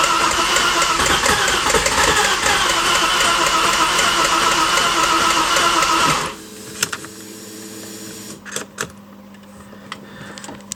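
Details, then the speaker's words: Porsche Boxster engine, freshly rebuilt, first start attempt with oil pressure pre-built: steady cranking about six seconds with no firing; coil and injector outputs work, event log shows broken crank position signal. "Didn't want to. So I tested the outputs for the coil packs and the injectors and they're all working."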